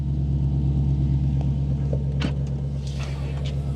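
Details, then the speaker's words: Cold idle of an Audi S4 Avant with a 350 hp 4.2 L V8, six-speed manual and all-wheel drive, on 163k miles. Deep, steady, even burble with no misses or knocks, a healthy V8 settling in. "the car thinks it's the 8th of August 2003 it's got a really nice little burble that"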